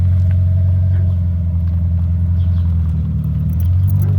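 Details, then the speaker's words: 2003 Honda Element with its catalytic converter stolen, at low speed onto a tow truck: heavy, low, unmuffled droning rumble. Exhaust roar from missing catalytic converter. "You want to hear what a Honda sounds like without a catalytic converter? There you go."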